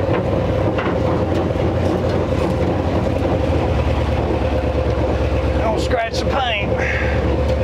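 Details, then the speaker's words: 1957 Chevy Viking truck, parked over 50 years, first drive: heavy steady drone under the engine while rolling, tone holding with road speed, like a train; driveline shaft sounds terrible, carrier bearing suspected. "Hear that carrier bearing. It's all open road from here. Shaft sounds terrible. Sounds like a choo-choo train coming down through here."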